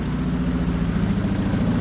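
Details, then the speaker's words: 2003 Hyundai Sonata, waste-spark ignition: uneven, loping idle running on two cylinders; unplugging the 2-3 coil makes no difference, while unplugging the 1-4 coil kills the engine, so a bad coil or wiring is suspected. "all right so we can see there's no contribution from that coil plug it in unplug it no difference if I disconnect this ignition coil which runs one and four the car will die and it does"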